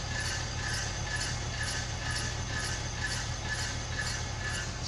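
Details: 1999 BMW 323i automatic: repeating scraping chirp about twice a second, in step with the wheel, over a low rumble; rises with speed. Owner suspects rear wheel grinding, possibly passenger side; a transmission oil change did not fix it. Unconfirmed.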